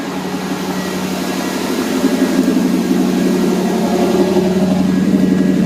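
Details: 1982–92 Firebird/Camaro after replacing the failed fuel pump (first thought to be bad fuel): steady, even idle hum with no hunting or surging, where before it idled up and down wildly.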